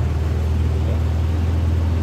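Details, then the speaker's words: Yamaha All New NMAX 155 keyless scooter, electric starter test after swapping remote, receiver and SGCU to confirm the SGCU fault; engine starts and idles cleanly, smooth even low drone with no misses, clicks or rattles; normal idle. "Mari kita coba memulainya. Oke, motornya bisa dinyalakan,"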